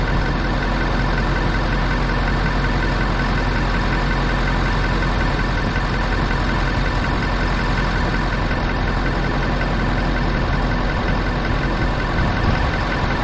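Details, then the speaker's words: Ford F350 6.7L Powerstroke diesel after draining gasoline mistakenly put in the tank and repriming: cranky stumble on first start, then even, steady diesel clatter and rumble with no misses or surges; normal idle. "you could hear it when it first started it was grumpy i should have probably cycled the key the switch a few more times to purge it out better but either way she was cranky she stumbled then she fired"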